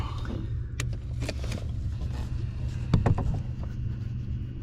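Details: 2014 Ford F-150 EcoBoost FX2 with battery reconnected: sharp irregular plastic clicks from under the dash over low engine idle; failing blend door actuator, the faulty one seen moving back and forth.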